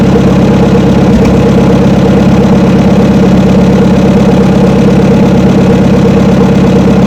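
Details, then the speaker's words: 1972 Chevrolet C10 truck, first start after about 3 months, cold drizzly ~40°F day: after cranking it finally fires into a loud, uneven, surging rough idle and sounds like it will run out of fuel. Owner suspects water in the carburetor. "well finally fired off I'm not sure what happened to be honest with you just all of a sudden it started to fire off and sounds like going to run out of fuel now though y it's carburetor troubles"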